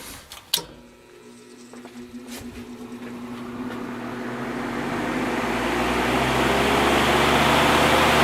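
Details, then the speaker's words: 1950s Patton 18-inch High Velocity fan, 3.2 A GE shaded-pole single-bearing motor, after repair (part pounded out to ease pressure on the inner collar): click, then smooth steady whoosh and low even hum; normal running, the best it has sounded. "I think that's the best it's ever sounded yeah that's much better"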